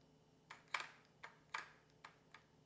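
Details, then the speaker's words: Car door lock actuator tested by applying power with paper clip probes: faint, uneven light clicks a few times a second with no motor whir or travel, actuator not doing anything, failed. "Yeah, you see it's not doing anything. So that's how you can test the actuator."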